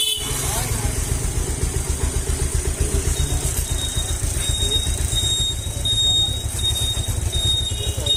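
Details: Pulsar 150 cc single-cylinder that developed a bad engine sound from high-speed running, started after the rebuild and cylinder reassembly: even, steady thump with no knocking or rattles; sounds healthy.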